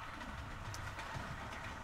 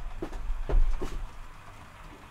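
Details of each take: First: it runs really quietly you know the Train's going around now you get a little hum in the background you can hear the joints in the track click CL click and it sounds it sounds SS lovely Second: TT:120 model train on a glued-down track shelf layout: handling thumps, then a loud hard hissing roar as it runs fast; owner suspects hardened glue under the track makes a hard, noisy surface, possibly the TT wheels.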